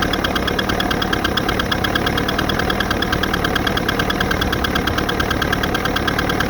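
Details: Evinrude 88 SPL two-stroke outboard: sharp rapid ticking over the running engine, present since a remanufactured powerhead was fitted. Now 10 hours, broken in per instructions; the cause is unknown.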